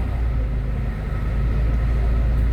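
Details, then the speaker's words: Honda Civic ESi with idle-drop-with-AC and stalling complaint, hot engine just started, no check engine light: smooth steady low rumble, no misses, but idle rpm too low, tach needle dropping. "Bumaba oh. O baka, baba. Pero maganda yung tunog. Mababa yung minor. Sumagad yung needle."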